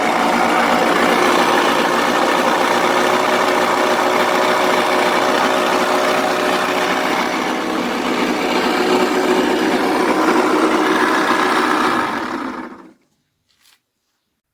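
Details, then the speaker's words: Four-stroke 80 cc scooter engine running with a harsh rustling grind over its note; knocking engine, suspected worn crankshaft main bearings before teardown. "На видео слышно, что двигатель работает не совсем исправно."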